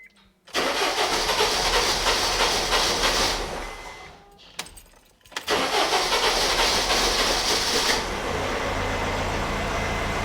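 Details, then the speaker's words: 2010 Honda CR-V 2.2 i-DTEC common-rail diesel with engine management light on, codes for cylinder 4 misfire: catches, fades and dies, then restarts into loud uneven idle; hard starting, rough running, strong smell but little smoke. "it runs like a pig and it's hard to [Music] start it's not really that smooky but uh it absolutely stinks"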